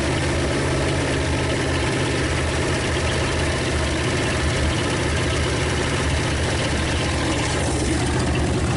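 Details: 1956 Studebaker Golden Hawk V8 first start after revival: loud, steady, slightly rough idle, firing evenly on all cylinders, no knocks or clatter. Smoke is PB Blaster on the exhaust manifolds. Owner thinks it needs running-in and plans compression tests and a valve check.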